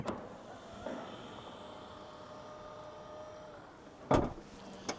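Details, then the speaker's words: Mini Countryman electric at 60,000 km, power tailgate closing: low motor run, then a short buzzy rattle as it latches; owner doesn't think it's a real problem, cause unconfirmed. "En son kapanırken böyle bir dırırt diye bir ses geliyor ama çok problem olduğunu düşünmüyorum."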